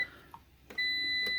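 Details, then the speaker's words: APC BN450M 450VA UPS after its battery ran flat under about 230–250 W heater load: one short chirp, then a steady high beep about three-quarters of a second as it refuses to stay on with the depleted battery. "let's see if we can go a little bit longer no that's the sound of trying to do something it don't want to do"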